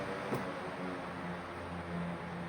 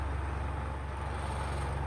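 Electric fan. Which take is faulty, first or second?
second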